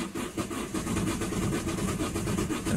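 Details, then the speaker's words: Vauxhall Combo diesel no-start with no fault codes, fuel pressure checked: starter churns steadily with rhythmic compression pulses and no catch while smoke plumes from the EGR pipe; cranks but won't start, cause not yet confirmed. "look at the plume of smoke coming out of that EGR paid this is cranking with a car not starting"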